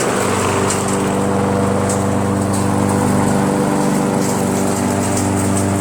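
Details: Briggs & Stratton mower engine with a Pulsa Jet Prime plastic carburetor, after its diaphragm and gasket were replaced: a smooth, even buzz at steady speed with no hunting or misfires, now running perfectly.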